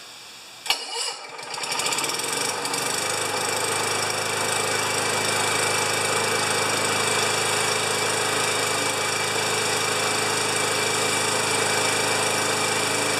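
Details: 29-year-old Rally lawn mower on a jury-rigged 12-volt battery (too big for the compartment), after priming and squeezing the bail: short whirring crank, then the engine fires and holds a steady, even run; the electric starter spins it over fine.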